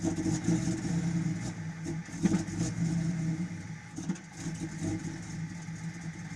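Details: XJ Cherokee engine misfiring and backfiring with rough idle: uneven, lumpy idle with irregular stumbles and occasional pops, the beat never settling.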